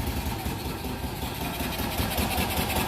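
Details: Single-cylinder engine, started briefly without its cooling fan: steady idle, slightly uneven but firing every beat, letting oil pressure build; runs healthy.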